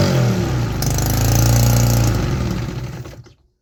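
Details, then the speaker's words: 3D-printed 125cc two-stroke with the carburetor removed, running on starter fluid: rough, rattly revving in uneven pulses that dies quickly and sounds weak. The engine is nearly out of compression; the cause is not yet inspected. "It sounds amazing in person. I'm not sure if the camera can actually capture that, but the engine is almost out of compression."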